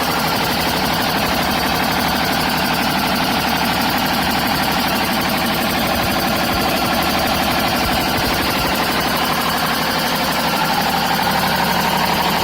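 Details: BMW 530d M57 diesel at idle with a harsh, steady high screech over the busy engine sound; belts ruled out, source unknown.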